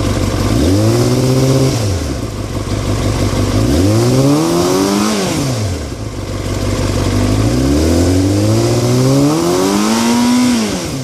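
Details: 2003 Yamaha R6 revved repeatedly, rattling since a recent trip to Europe: light metallic clatter over the engine note; owner unsure if normal or if performance is affected; engine rattle, source unclear.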